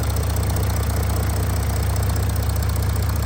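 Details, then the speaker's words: Audi S4 3.0 V6 TDI turbo diesel with S tronic automatic, heard at idle with the bonnet open. Even, smooth idle with a light tick about three times a second from the high-pressure direct injectors; normal. "basically got direct injection uh from the injectors which is what you can hear that Ticky noise is the high press injectors that Force the diesel into the cylinder and atomize it and give much better combustion"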